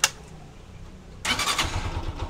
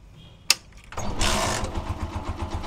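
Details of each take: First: Honda TMX 125 Alpha single, hard push-start complaint, after new battery with old rectifier refitted: click, brief pause, catches on first push and settles into lumpy idle; battery 12.7 V, stock charging suspected weak. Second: Honda TMX 125 Alpha single, hard to start on push start but fine on kick: click, one kick, fires straight into quick even putt-putt idle; battery read 11 V, not charging, charging system suspected.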